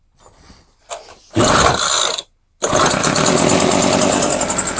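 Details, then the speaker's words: Craftsman hedge trimmer, 21cc two-stroke, fresh fuel lines, choke off after pulls: engine buzzes into life unevenly with a ragged, stumbling note and wants to die; owner suspects hard carb diaphragms starving it of fuel. "Nope. She wants to die. Let's try that again. So the diaphragms are a little hard. So it can't get the fuel."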